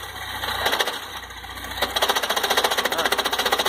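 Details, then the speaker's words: Chery Tiggo 2.0 16V 2012, 125,000 km: engine idling, a light rhythmic rattle of about four ticks a second starts when the clutch pedal is pressed, noise inside the gearbox; transmission to be removed, cause not confirmed. "Pisa na embreagem aí. Tira o pé. Vendo o barulho? Tem uns pequenos barulhinhos aí que o cliente reclama. Bota o pé. Tem um barulho dentro do câmbio aí, ó."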